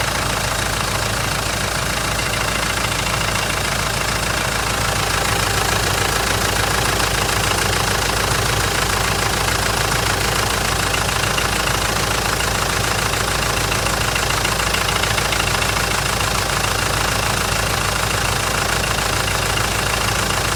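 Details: Mitsubishi 4M41 diesel engine at cold startup idle: a hard, steady clatter with a rapid, even knock over the engine note. The owner doesn't know the cause.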